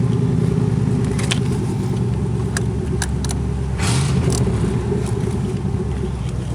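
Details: 1986 Camaro IROC-Z, exhaust pipe broken where the Y-pipe forks: a loud, raw, uneven rumble with rough blatting pulses at idle and on light throttle, from the exhaust leak.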